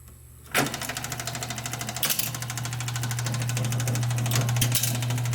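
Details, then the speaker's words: Seeburg SMC jukebox, unrestored, CPU not yet rebuilt, with rebuilt isolators and new motor coupling fitted; the motor starts and settles into a steady low hum with a soft even chatter, running healthily. "we'll just turn it on and see how the motor runs. You can hear humming. But it's not going to come through when it's playing a record."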